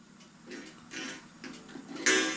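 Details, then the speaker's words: 8-day Black Forest Regula cuckoo clock, cleaned and oiled after falling damage, gong hammer just bent up after it was not hitting; light ticking then one thin, harsh, short-ringing gong strike; hammer still misadjusted, sounding terrible, needs further adjusting. "Now that sounds terrible."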